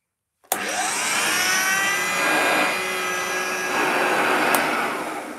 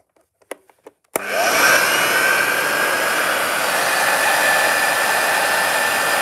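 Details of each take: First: Upright vacuum cleaner over 50 years old, run with no bag fitted: motor spins up to a steady high whine and roaring rush with a faint shifting tone; motor sounds fine, but a new belt may be needed. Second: Upright vacuum cleaner over 50 years old, long stored in a loft, run with belt on but no bag (belt may need replacing): a few clicks, then steady even roar with faint constant whine; normal running.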